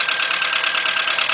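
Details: VW Beetle/Golf/Jetta 2.0, bought used, idling after fuel pump replacement: thin raspy choppy idle, one cylinder dropping out intermittently; misfire, owner suspects original plug wires, not confirmed.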